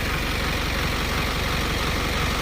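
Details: Diesel engine after injector replacement, no fault codes on scan: even, steady idle with a smooth, unchanging beat and no knocks or stumbles; running normally.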